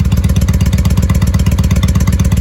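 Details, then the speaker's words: 1995 Honda Shadow VLX VT600CD V-twin idling, first run in years, air filter off, baffles drilled out; steady, even lumpy idle about eleven pulses a second, loud and deep, no misses or knocks; normal idle, loud open exhaust. "Oh, the baffles were drilled out of this thing. There's no baffles in this. That's why she's loud."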